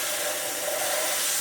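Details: Numatic PPR370 commercial vacuum (2022), owner complains of reduced performance: steady airy rushing hiss with a thin whistle near the top, no motor strain; airflow about 13 mph, suction down from a blocked hose.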